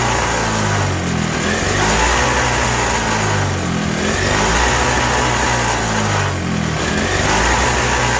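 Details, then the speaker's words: 1987 Toro CCR 2000 snow blower two-stroke, in the cold, with a new replacement carburetor: steady high buzzing with slightly hunting pitch, runs only on choke, sounds very lean; turning the jet in or out changes nothing. "Yeah, running real lean. It only runs on choke. I'm turning the jet in and nothing."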